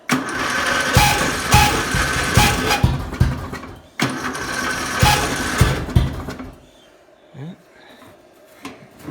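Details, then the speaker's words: Murray riding mower, first start in a long time, battery possibly weak: two cranking bursts with harsh, uneven starter grinding and clunks. The noise began after someone else drove it; the engine also knocks and needs a rebuild. "Let somebody drive it, and after that the starter started doing that noise, so."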